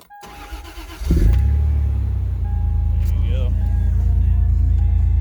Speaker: and then again this battery was not dead to begin with but just to show you guys the vehicle will now start